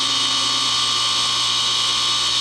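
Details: DIY 10 HP rotary phase converter fed 241 V through a welder plug, start button held long enough: smooth steady hum and constant high whir, idler motor running properly.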